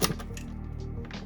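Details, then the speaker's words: 1980s Philips Cubic Compo boom box in tape mode, no tape inserted: low steady motor hum with a few clicks but mechanism not turning; owner suspects perished drive belt. "Yeah, so I can hear the motor, but nothing's turning, so the belt is will likely have perished."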